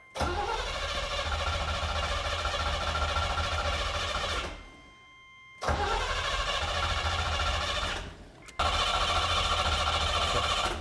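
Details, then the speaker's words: 1980 Corvette, 350 four-barrel, four-speed: three spells of steady starter cranking with no firing while distributor wires and coil are disconnected for a pre-lube and oil pressure check; fuel is reaching the engine. "All right, stop. Okay, yeah, you're getting fuel for sure. So, hey, you guys want to put on the distributor wires? Turn the coil on?"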